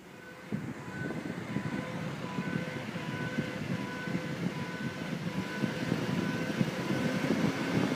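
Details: 2002 Ford Sport Trac 4x4, front driver side: a pulsing hum over road noise that rises in pitch with acceleration, with vibration also felt through the gas pedal; front wheel hum.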